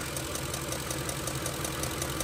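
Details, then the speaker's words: 2006 Ford F-150 5.4L 3-valve Triton V8 at idle: sharp, regular ticking about seven per second, sounding like exhaust leak or valve train, with raw fuel smell; pulses felt at cylinder 6 coil — a loose M16 spark plug backing out, puffing compression. "Almost sounds like an exhaust leak. Almost sounds like a valve train tick, but the wrap from the tick is not as sharp as it would be with a metal roller follower."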